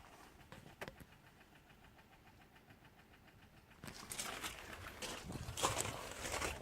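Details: Alfa Romeo 156 1.6 TS that won't start: faint, quick, even fuel pump relay clicking under two a second, no cranking, with the diagnostic light flashing. Cause was a failed throttle body/ECU; replacing the throttle body, ECU and code box fixed it.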